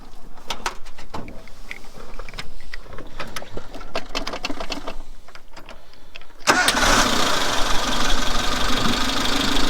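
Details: Suzuki Samurai on the trail, refilled with melted-ice coolant after overheating, started: scattered clicks, engine fires at about six and a half seconds, settles into even idle with fan whirring, no blade contact; normal.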